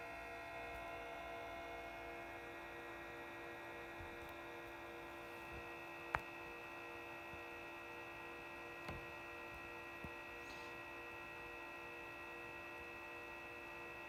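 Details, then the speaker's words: Behringer EPQ304 300 W 4-channel power amplifier idling with no music, microphone moved close: steady airy whir with a fixed tonal hum; cooling fan starts mild and grows louder over time, too noisy for quiet use. "It's pity that the fan noise is so loud, and it starts very mildly, but with the time it will goes up."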